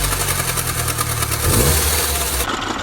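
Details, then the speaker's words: Second-generation Mini Cooper idling with a busy, rapid rattling clatter caused by a drive belt with chunks missing, which drives the water pump via a friction wheel; a belt replacement made it quiet. "There's chunks missing from the drive belt. Why is this a problem and why does it make noise?"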